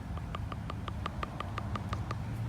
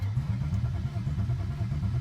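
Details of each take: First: Idle air control valve check valve removed from a sedan on stock ECU, shaken by hand next to the mic; faint light clicking about six times a second as the internal ball rattles, meaning the valve is free and working correctly. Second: BMW E36 sedan after fuel pump relay and IACV work: starter cranks steadily about four times a second with no firing or pops; crank no start, suspected no fuel, check engine light shows DME powered.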